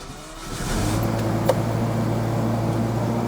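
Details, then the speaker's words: Jaguar XJS V12 after new distributor cap and rotor (previously intermittently lost half the cylinders, Marelli ignition failure, worse when warm): starts within a second and settles into a smooth, even, deep idle hum; runs on all twelve, smoother than before. "That is running very nicely. Let's go and have a look. Very nice and smooth. It's definitely smoother than before."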